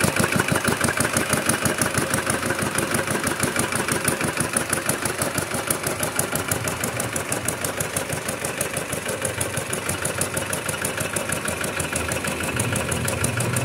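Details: Kubota RD65DIS single-cylinder diesel after a service with the cylinder head refitted and timing set, fitted with an RD85 pusher: loud, steady, even chugging at a constant pace with no misses or knocks; running healthy, with a dry exhaust.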